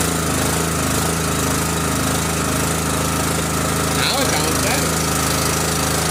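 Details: Forest King 30-ton log splitter small single-cylinder engine at full throttle with choke set, after refilling dry hydraulic fluid that had caused chuggish running, bleeding air: steady even chug with hydraulic pump hum; normal running.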